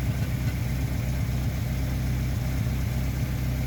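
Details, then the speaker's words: Car idling after a rotted, holed exhaust muffler was patched at home with welded sheet metal from an old washing machine: steady low idle, even deep pulse, no hiss or puffing; no exhaust leak. "Pelo vídeo parece que tá dando barulho, mas pessoalmente não tá dando barulho nenhum."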